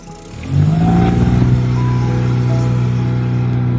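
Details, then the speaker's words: Dinghy outboard motor after replacing two spark plugs: engine picks up then holds a steady low even hum in gear with no stumbling or misfire; running clean and better than before. "I might need to go run around and and test this, but it sounds better than it did."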